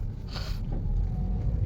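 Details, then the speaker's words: Limo Gen 3 car, cabin recording on rough embankment road after replacing long tie rod, blown arm bushing and dead shock absorber: steady low road rumble, no knocks over bumps; former clunking gone, suspension normal. "Sekarang udah aman nih, nggak ada bunyi gerdek-gerdek lagi. Mantap lah."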